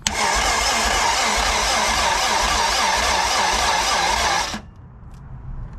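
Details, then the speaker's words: K20-swapped Honda EF sedan, first start attempt, 35 psi fuel pressure: slow, laboured cranking about four turns a second that never catches, then stops; brand-new battery flat, battery fuse popped from a suspected short. "battery's dead man okay we got 35 fuel pressure battery is brand new in that car and it's not looks like the battery fuse is popped"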